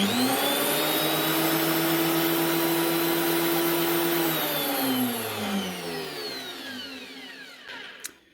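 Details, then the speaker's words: DeWalt DW733 thicknesser after replacing the drive belt (worn on one side, causing vibration) and blades: smooth, steady high motor hum with no wobble or slapping, then a clean spin-down; no more jumping, running true. "That's her. No more jumping all over the place. The belt was actually causing the vibrations because it was worn at one wee side. New belt gets it running smooth."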